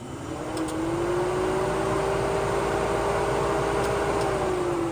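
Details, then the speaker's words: 1971 Chevelle Malibu restomod with Holley-tuned electric radiator fans, fan 2 triggered via ground wire: steady mid-pitched hum rising then holding smooth; second fan runs normally at its higher speed. "Now you can see how fan 2 blows a little bit harder, so it's kind of cool. It's like a low speed and then a high speed, and then when they're both on at the same time, then obviously that'll be an even higher speed with them blowing all together."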